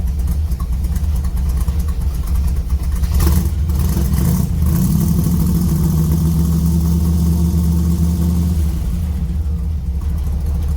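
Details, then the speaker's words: Cold 283 small-block Chevy V8, idling with no throttle input: steady, even low chug with a lopey rhythm, no misses, knocks or smoke. Healthy normal idle. "I'm not touching the gas pedal. This one honestly runs that good. There's the exhaust right there, chugging away. You're not seeing it smoke, burp, fart, nothing. Just runs."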